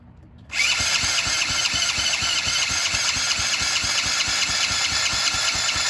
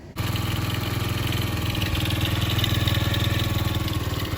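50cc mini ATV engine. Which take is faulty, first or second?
first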